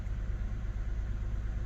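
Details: 2008 Lexus ES350, P0304 cylinder 4 misfire showing around 2000 rpm when warm: low idle pulsing unevenly about eight times a second, rough lumpy beat; cause was rat-chewed #4 injector connector, replaced.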